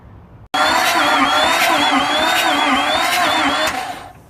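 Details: 2004 Silverado LLY Duramax diesel no-start, injectors popped out: starter whirs quickly and engine spins freely but never fires; rocker arms move so cam and cam gear seem good; low/no compression suspected; only code is glow plug control module.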